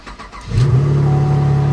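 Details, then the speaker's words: Pontiac G8 at 167,699 miles, previous front-end collision with service airbag light, starts after jump with a relocated ground: engine catches and settles into a steady, even low hum with no misses or knocks; normal healthy idle. "I mean, it runs great, I think."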